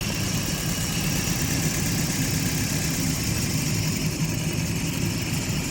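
Engine idling with an uneven, stumbling beat under a steady drone, consistent with a misfire at idle; cause not identified.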